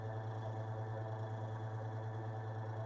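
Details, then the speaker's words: Workbench electric heater on its low setting, fan freed after it had stopped spinning: steady, even low hum with a faint buzz and no knocking or scraping; the faint noise has always been there, blamed on a slightly misaligned fan. Normal fan running. "It's always made that noise ever since I've ever had it. That's obviously the the fan's just not quite lined properly."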